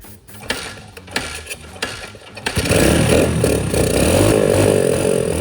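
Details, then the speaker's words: Dirt bike recovered from a lake, after draining water-contaminated oil and fuel and refilling: catches after a few failed kicks and runs unevenly with a wavering, sputtering note, not good enough to ride; rough running after water ingress. "let her idle for a bit get her to warm up right it runs but just not good not good enough to ride"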